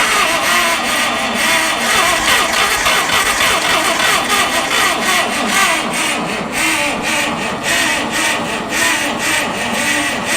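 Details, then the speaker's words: Abandoned Farmall 460 tractor with updraft carburetor, weak battery, suspected float issue and flooding: uneven stumbling bursts while cranking, catching briefly then fading; won't stay running, owner suspects fuel starvation and a needed carb kit. "oh damn it it's a fuel issue for sure it's like not getting enough fuel which is ironic cuz it's getting so much fuel to the ground"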